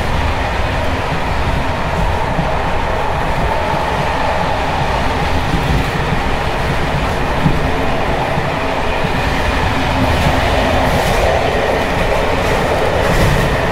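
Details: Evening express run on Czech line 190 (České Budějovice–Plzeň), between Hluboká nad Vltavou and Číčenice, in coach Bd264 481 (built 1979), recorded from the compartment or an open window. Loud continuous clatter and rumble at speed as loose brake rigging bounces on worn Görlitz V bogies.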